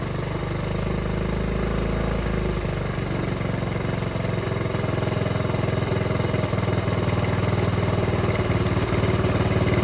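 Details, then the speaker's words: Dirt bike idling after air/fuel screw adjusted out to about a full turn: steady, even idle with a crisp regular pulse, no hunting or stumbling; within spec, normal idle. "Sounding good on idle. So if we get it right here, this would be within spec, and this would work for us."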